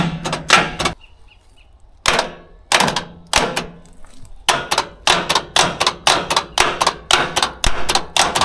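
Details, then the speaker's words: David Brown 990 diesel tractor abandoned 20 years after rolling over while running, engine turns by hand but stiffly: sharp clacks in uneven bursts with no cranking; starter clicks but does not crank, starter motor suspected. "It's trying, but it's not turning."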